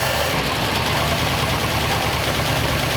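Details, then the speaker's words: 1939 Ford Coupe V8 on first run after having extra wiring removed: lumpy, slightly uneven beat with rough noisy background, not smoking; not running smoothly yet, cause unknown. "Not running great, but it's running. Not smoking. Sounds good."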